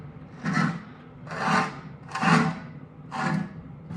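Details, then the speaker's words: Kuhn 4101 rake gearbox being rebuilt, turned slowly by hand, dry with no grease yet: dry rasping scrape about once a second each turn from the dirt plate/spacer underneath rubbing on the gear; otherwise turns fairly nicely. "You can hear the gears because there's no grease in it at the moment, but it seems to all turn fairly nicely. So there's just that rumbling from that spacer underneath."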